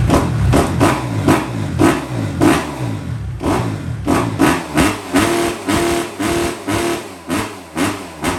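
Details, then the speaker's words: Kawasaki KX250F four-stroke fuel-injected dirt bike after replacing the fuel pump filter that caused lean bogging and backfiring: crisp throttle blips rising and falling cleanly with no stumbling or popping; runs great, throttle response perfect. "The bike runs absolutely great. Throttle response is perfect."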